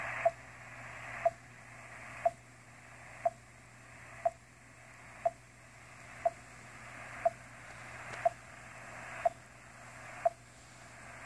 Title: Intruder Beeps on 30 meters